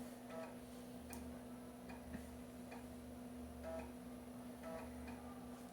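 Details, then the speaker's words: Floppy drive in an MS-DOS PC copying ARJ-compressed sound-card driver installer disks, with old disks that may have sector errors: soft quiet ticking and light chirps every second over a faint steady hum; normal read/seek noise. ">> [roncando] >> Barulhinho da cópia. Eu não cronometrei, mas deve demorar um tempinho."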